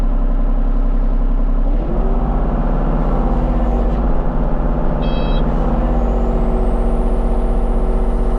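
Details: Kubota KX033-4 excavator, function check after 1000-hour service, outdoors on gravel, cold day: steady diesel drone, pitch rising smoothly under hydraulic load, no knocks or rattles; normal running.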